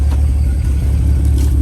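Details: BMW N54 engine: deep, uneven, loping lumpy idle that sounds cammed, not a smooth hum; owner plans a compression test.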